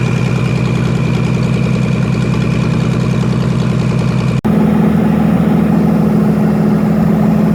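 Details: V6 engine in Ford 2N tractor, warming up after carburetor vacuum leak plugged: steady even low idle with regular firing pulse, no hiss, stumble or misses; runs clean and settled.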